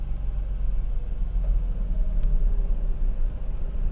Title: Mazda RX-8 Rough Idle